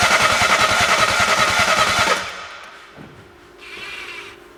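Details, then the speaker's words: 2012 BMW 1 Series, crank no start, cranked during a spark check with the plug grounded: an even chug of about 3.5 beats a second that never fires, then stops. Cam timing was off after a broken chain guide. "now the next step I'm going to crank the engine over while you guys look for ignition"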